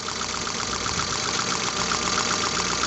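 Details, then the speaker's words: Car idling with sharp crisp snapping ticks, about four a second: high-voltage spark jumping at extremely loose spark plugs, found after pulling plug wires; it was slower to start and misfiring. "ustedes escuchan se oye que está brincando la chispa entonces ya apagar el coche yo quito los cables para checar y resulta que las bujías están sumamente flojas"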